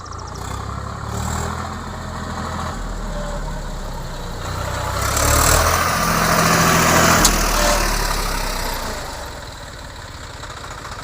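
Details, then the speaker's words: Swaraj 744 tractor after gearbox repair for a noise only in reverse gear: diesel runs steadily in reverse on road test, swelling briefly with load, no gear whine, grinding or knocking; the noise is gone. "Okay అన్న బాగుంది బాగా చేసినావ అన్న ఏం sound ఏం రాలేదు sound ఏం లేదు కదా ఆ లేదన్న"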